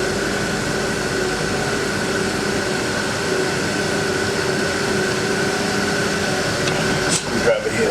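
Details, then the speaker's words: Walk-in cooler, evaporator fans humming steadily; as the thermostat setting is turned down a sharp click sounds as the solenoid opens and the fans speed up, normal operation. "you'll see as I turn this down you'll hear this click you'll here the solenoid open up and you'll see these fans speed"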